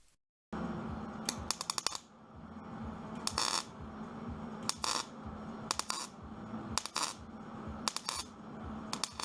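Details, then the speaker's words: Good MIG weld on a Datsun 240z door: short bursts of crisp, sizzling frying-bacon crackle over a low hum, the sound that indicates a good weld. "the sound that you're hearing which sounds like Brian bacon is the sound that you're trying to go for when you're welding you can usually tell how good a weld is based off of sound alone"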